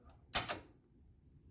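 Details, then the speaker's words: 1976 Gottlieb Sure Shot pinball machine at power-on with coin door open: two quick sharp clicks then one later click in a quiet room, the lockout relay pulling in normally. "I turned it on and then I just did this and you hear that little bit of Lights little bit of clicking of"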